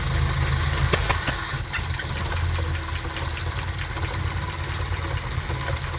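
Cold idle with a rough, uneven tapping, around three knocks a second, riding over the engine note; a knock whose cause isn't pinned down.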